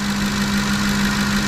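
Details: 2010 Ford F-150 5.4 L V8 idling after new alternator and serpentine belt, battery reading 14.6 V: smooth steady idle with low hum, no belt squeal or chirp; old alternator bearing blamed for previous squeal. Normal idle.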